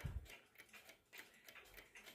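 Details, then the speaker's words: Old Czechoslovakian Chronotechna alarm clock with an unusual torsion-spring movement, missing its setting knobs; crisp, quick ticks about five or six per second, good balance-wheel amplitude but runs extremely fast. "it has a very good amplitude on the balance wheel but sadly it runs extremely fast"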